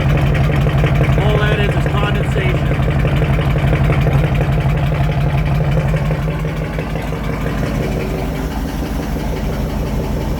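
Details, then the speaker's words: 1967 Ford F100 FE big-block V8, cold, choke off, after carburetor rebuild fixing a rich, leaking accelerator pump: steady, even idle with no misses or stumbles, only slight smoke from cold condensation; normal idle. "no more smoke pouring out this thing was smoking like crazy before cuz it was right running so rich it's smoking a little bit cuz of being cold"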